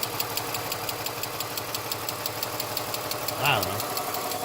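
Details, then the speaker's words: BMW 325xi Touring, manual, non-running auction car with known exhaust leak: light quick ticking over steady idle, short vocal sound partway; source of tick unclear, owner hopes it goes away. "definitely out here some I don't know what that ticket so hopefully it'll go away"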